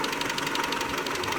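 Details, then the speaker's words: 2001 Mitsubishi Galant 2.4 4G64 at idle: fast, even light ticking of about seven a second over a steady idle; suspected lifter tick, possibly from oil pump gear misalignment at the timing belt or coke buildup, not confirmed. "4g64 gallant 2.4 the classic lifter tick things that can cause litter tick our misalignment of the oil pump gear on the timing belt most people don't realize that that's important"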